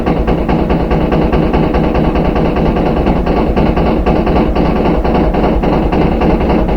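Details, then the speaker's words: Front-load washing machine spinning empty: loud constant rumbling with rapid repeated banging from the back, excessive vibration for an empty drum, indicating a worn rear tub bearing; can still run light and medium loads short term. "you can hear the bangings coming from the back it's louder and louder kind of banging around like that if it's empty you shouldn't be getting that much vibration but that's how you know you have a bad rear bearing"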